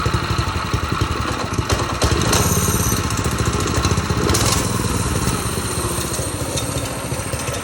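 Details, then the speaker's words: Old-school Doodle Bug mini bike after an engine swap: small single-cylinder engine at a quick, fairly steady idle with a crisp exhaust beat. It sounds healthy; normal running. "All right, here we go. This is it. Got a runner. Had a runner."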